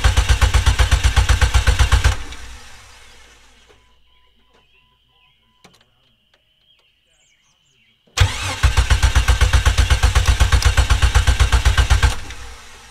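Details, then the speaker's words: 25-year-old Jeep Cherokee XJ that wouldn't start after a new exhaust, after starter work: two bursts of steady cranking at about four compressions a second, never fires, no fuel pump heard priming; crank no start. "okay I'm seriously not sure what's going on now because now we have uh crank no start I didn't hear the fuel pump"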